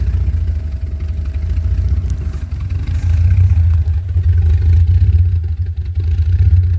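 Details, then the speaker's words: 2001 Jeep Grand Cherokee Laredo 4.0L inline-six, cold start in snow at about 6–11 degrees; deep, lumpy, uneven idle with revs hunting, and it sometimes stalls; rough cold idle, cause not pinned down. "And see, idle is rough when it's cold, as you can hear it."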